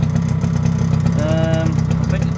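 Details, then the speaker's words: Suzuki LT50 quad, owner believes 1998, first start after 5 years, cold, two-stroke oil mixed into petrol, smoky: steady fast buzzing tickover that won't settle, idle set a bit too high; later adjusted down and settled as it warmed. "it's running well though starting up it's always been a good engine this one love it nice put a little fan on there just to blow the smoke out the door a little bit i think really it could do with a tick over coming down just a tad"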